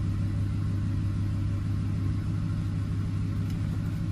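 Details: 2007 Ford F-150 5.4L 3-valve V8 idling after the loose cylinder 2 spark plug was fixed: a smooth, low, even V8 rumble with no skip or lope, all cylinders firing and the P0302 dead misfire gone.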